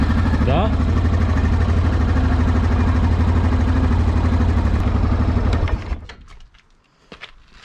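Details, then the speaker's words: Yamaha Grizzly 700 ATV right after an engine oil and oil filter change: smooth, even thump of about three beats a second for nearly six seconds, then shut off. It runs well and seems to sound even better. "Gata, și am terminat de schimbat și uleiul. Cam asta a fost clipul pe ziua de astăzi. ATV-ul merge ok, parcă se aude chiar mai bine."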